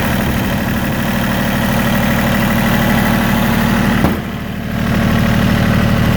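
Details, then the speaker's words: Yanmar YM1820D compact 4x4 tractor, three-cylinder 23 hp diesel, shuttle shift: starts right up, no smoke, even settled diesel clatter at steady idle with no misses or stumbles; normal idle. "you see it starts right up no smoked sounds really nice engine doesn't miss or misfire"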